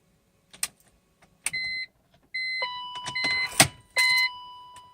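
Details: SMG-gearbox car in neutral, brake pressed: turning the key gives a few short electronic beeps and a click but the starter does not turn; no-crank with warning beeps, cause unknown.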